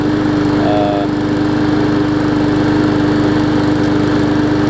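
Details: New, unused 2013 Murray push mower single-cylinder engine, after removing a hard piece of rubber stuck in the intake valve that had caused lost compression: steady, even putter at constant speed with a clean note; now running smoothly.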